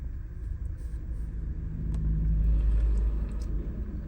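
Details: 2015 Ford Expedition six-cylinder at idle, plugs already replaced and injectors cleaned and tested: low, lumpy rumble with uneven pulse never settling smooth; random multiple-cylinder misfire, cause not yet found.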